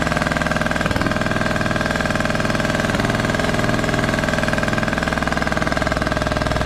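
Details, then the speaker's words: Craftsman T1200 riding mower rescued from scrap, first run on old gas after a spark plug was fitted; steady thumping idle about four beats a second with a gurgly uneven edge and very high compression, owner suspects valves need checking: rough running, tight valves suspected. "this engine sounds funky I've never heard one of these run before it has like a gurgly sound to it that is crazy crazy compression just seems so high on this thing may end up just checking the valves on this too"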